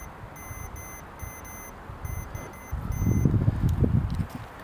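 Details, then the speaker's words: Trailer brake wiring, continuity tester on a pulled wire: steady beep dropping out in short gaps as the connector is flexed, over handling rattle, a dead spot from a break inside the wire. "Oh. See that? There's a dead spot."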